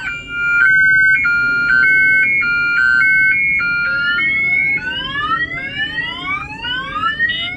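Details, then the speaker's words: Mercedes-based Airstream Interstate motorhome aftermarket alarm, triggered by banging on the glass: stepped two-tone wail then repeating rising whoops, loud and steady; alarm siren sounding normally. "So I'm going to go ahead and bang on the glass. That will fire off the alarm."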